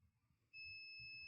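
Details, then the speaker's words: Dead Mobicel tablet board: the multimeter gives one steady high continuity tone on the ceramic capacitors around the MediaTek MT6323GA power management chip. They are shorted to ground, and the chip is suspected faulty. "this is short even this is short so I think we have a problem with this chip"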